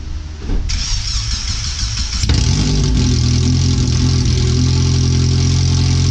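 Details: First startup after replacing the header, fuel filter and differential bushings/seals, with O2 sensors moved and a wideband bung added, run on the header only before the rest of the exhaust is fitted: loud, raw, deep unmuffled idle, way too loud; ECU read 5–7% rich.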